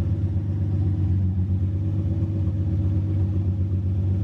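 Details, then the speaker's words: Nissan 350Z first start-up after sitting a long time, new test pipes and O2 sensors refitted, coolant being bled: steady, deep idle with a light rev rising and falling cleanly; normal idle. "give it like a light rev light it sounds healthy what is it idling at"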